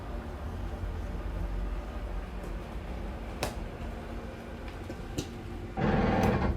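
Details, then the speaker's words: Slide-out motor on a 2022 Puma 25BHFQ travel trailer: the motor hums along, then a sudden loud gear grind as the room stops, meaning it is fully extended. Normal end-of-travel sound. "you get that gear grinding noise, you know you're fully extended."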